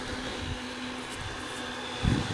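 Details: Replacement cooling fan for a Technics SA-GX550 AM/FM receiver, where the original fan failed and the unit went into overheat mode, bench-run on a power supply; faint steady hum and soft whir, then a brush against the blade; runs smooth, normal running.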